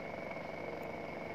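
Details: Washing machine spin dryer motor, not spinning before repair, now a steady, even whir holding one clear tone with no wobble or scraping after replacing the weak capacitor; runs smoothly.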